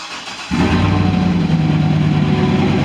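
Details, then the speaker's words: 2010 GMC Sierra 6.2 V8, 179,000 miles, cold start with no muffler: loud uneven rumble with rapid top-end knock on idle and misfire; suspected collapsed lifter and worn cam lobe, cylinder still being isolated by scanner. "okay i'm pretty sure you heard that knocking noise in it it sounds like it's up from the top end it's also missing out"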